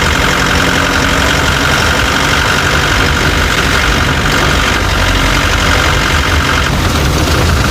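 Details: Chevrolet Tavera diesel at idle: irregular rattling knock over the clatter; owner reports a khatpat knocking sound that 10 mechanics could not diagnose, source unknown.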